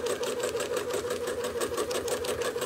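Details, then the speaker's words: Sewing machine during free-motion quilting, speed being raised step by step: fast, even needle chatter at a steady rate with no strain or knock, still running a touch slower than the sewer wants; speed set too slow. "so i'm going to raise it up a little bit more that still is slower than i would sew i don't like that that doesn't sound good maybe just a tiny bit faster"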